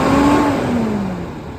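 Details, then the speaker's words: 2012 International Durastar 4400 crane truck, diesel: smooth rev falling back steadily, pitch dropping cleanly with no knocks or rattles; engine sounds great. "Hear the engine sound great."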